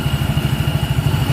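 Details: Yamaha Mio Soul GT scooter after repair of a slipping starter, caused by a leaking seal and a damaged starter clutch: the starter works normally again, and the engine idles with an even, low thumping beat and no clatter, slipping or grinding.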